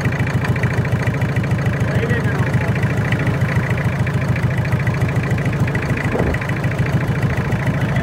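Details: Toyota 7K engine at idle: steady idle with regular tapping about three and a half beats a second; unidentified noise, cause not pinned down.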